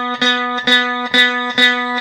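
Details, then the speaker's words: Review-copy guitar before fret work: same note plucked four times at the 9th fret gives a buzzy, sitar-like rattle on the attack, the high 9th fret buzzing against the string; fret buzz. "There's only one problem, and that is this. That nasty fret buzz."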